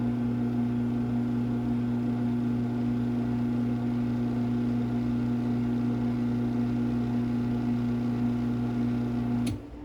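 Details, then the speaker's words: LiftMaster 1245 garage door opener dated February 1993, running down by remote: low, steady electric hum with no grinding or clicking and a clean cutoff. A light socket or something vibrates, but the motor itself is extremely quiet and normal. "That's a light socket or something vibrating. We can hear that motor itself extremely quiet."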